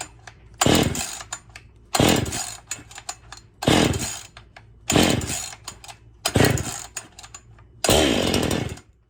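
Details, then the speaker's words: Husqvarna 55 chainsaw run with the stock muffler before muffler modding: six sharp throttle blips about every second and a half, each revving cleanly and dropping back fast; crisp, healthy normal running. "Ooh, she got some pop to her."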